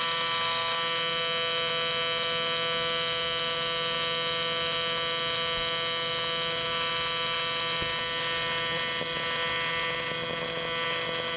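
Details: Miller Dynasty 300DX AC TIG welding aluminum during a practice session: an even, high buzzing hum holding steady the whole time without crackle or sputter; a smoothly running AC TIG arc.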